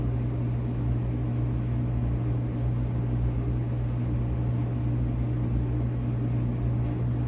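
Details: Whirlpool WED92HEFC2 dryer after replacing belt and drum rollers, motor previously loud and suspected near end of life, now fully reassembled: steady low even hum, no grinding, squeal or knocking; very quiet and smooth, normal motor running.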